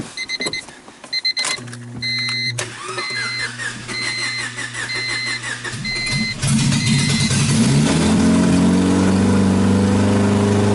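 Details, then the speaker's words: 1999 Honda Civic Si with B16 VTEC and refreshed head, high mileage, first start on old gas with the exhaust not bolted up; starter turns briefly, then it runs loud but fairly smooth and even, no knocks or missed beats. "well [ __ ] it runs sounds like it runs fairly smooth too"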